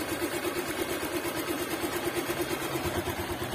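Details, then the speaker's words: Liquid-cooled motorcycle engine after an oil-starvation episode, with an engine flush completed and oil to be changed: smooth, even single-cylinder idle with a steady beat and no knocks or rattles; normal idle. "Oke bosku, alhamdulillah sudah selesai di kolter ya. Dan suaranya halus bosku, suaranya bosku ya, halus ya."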